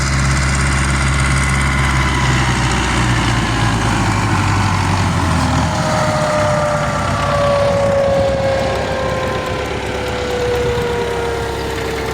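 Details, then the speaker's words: MTZ-82 tractor with an SPCh-8 seeder sowing sunflower: a clear, steady whistle from the seeder's vacuum fan over the low diesel drone, its pitch easing slightly; the fan is running normally. "Чуєте, як свистить наша СПП8? Наче якась євровалка, але нічого."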